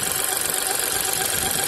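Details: New VW T-Cross 1.0 TSI manual, 600 km, hot idle: warm engine hum with faint steady squeak above it; source unknown.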